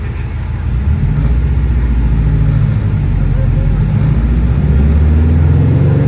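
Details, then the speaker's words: Car on dyno at full-throttle pull while logging per-cylinder roughness; deep drone climbing with uneven lumpy pulses, misfiring heavily; log shows cylinder four very rough, traced to a bad ignition coil. "yeah you can see it's definitely misfiring quite a bit well not sure what's going on with it we're gonna do some troubleshooting"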